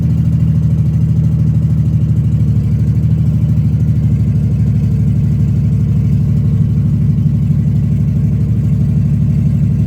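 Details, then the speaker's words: Engine started after repairs, with a bit of fuel squirted in to avoid long cranking: steady low idle with an even, smooth beat and no knocking or ticking; running healthy. "I am um I'm pretty happy to say the least um yeah just happy to hear it run after everything fix them few little things up"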